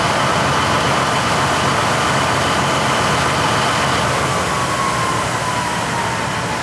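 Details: 1953 GE 80-ton long-frame diesel-electric locomotive, last run by the Navy in 1998, running after contactor repair: heavy, even engine roar with a steady tone drifting lower as it loads up and moves forward and reverse normally; throttle has some dead spots, probably loose wiring.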